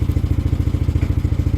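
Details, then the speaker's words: Yamaha Aerox scooter, after repair of an idle speed control (ISC) fault that had caused no-start and too-low idle: a steady, even low putter at the correct idle RPM. This is a normal idle. "at yun wala goods na goods na ' guys yan yung saktong RPM ng aerox"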